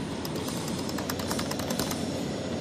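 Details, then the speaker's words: Rear-ended GMC 4x4 truck driving on highway: light, irregular tapping rattle over steady road rumble; owner suspects the door lock rattle, a small clip. "Hear that? I don't know if that's the door lock rattle I hear they complain"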